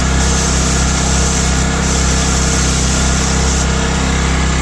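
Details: Old Powermate PM900 generator (Kawasaki/Coleman tags), left outside ten years, revived in cold weather, no air cleaner fitted: even, steady drone, no misses, surges or knocks, holding speed; normal running.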